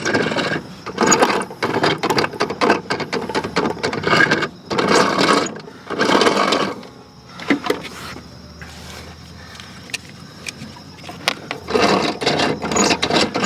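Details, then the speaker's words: Toro Timemaster self-propelled mower, hard to push, in service position with spark plug disconnected: irregular gritty rattling grind as the wheels are spun; rough middle transmission bearing blamed. "And I think this bearing is no good. Right here in the middle. This middle bearing. That's what's making this noise."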